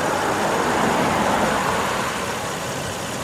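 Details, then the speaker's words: Car warming up after sitting 11 days and cranking oddly (owner leans toward leaky injector, new battery): smooth, even idle with soft steady hum, no stumbling or ticking, exhaust normal, all cylinders firing; normal idle. "Exhaust sounds completely normal. All cylinders are firing without any issue whatsoever. And so the verdict is, I don't know. Runs fine. No trouble at all."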